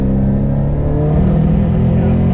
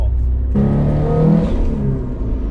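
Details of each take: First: 500 hp Subaru STI in second gear at full boost: deep drone stumbling as cylinder 2 misfires (23 misfire counts), sounding like no spark; burnt valve or intake leak suspected, not confirmed. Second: 500 hp Subaru STI after fixing a cylinder 2 misfire, leak-down and compression tests good: engine pulls hard at 16 psi boost with a clean, steadily climbing note and no stutter through the rev range.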